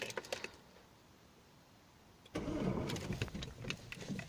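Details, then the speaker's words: Citroën C5 1.6 HDi 110 diesel: at start-up engine catches with brief rough metallic rattle before settling; recurring start-up noise for weeks, cause not confirmed. "c'est je ne sais pas si vous l'avez entendu c'est le premier petit cliquetis et quand on entend que l'on entend démarrage"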